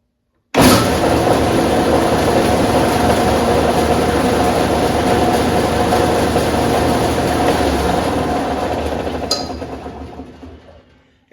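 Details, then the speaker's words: Steel City 55220 dual drum sander after the drive belts were tensioned to about 5/8 in deflection and loose pulleys and the motor pulley were tightened: steady even whir with a light hum, previous bearing noise gone, running normally. "It still makes a bit of noise, but the the bearing noise is gone."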